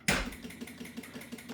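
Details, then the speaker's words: 2025 Can-Am Outlander 700 (Rotax), brand new, lost all power while riding: fast, steady chatter of about six clicks a second with no crank, battery at 10.9 V; battery not charging, cause unknown. "that's all she does. Like the battery is not getting charged up."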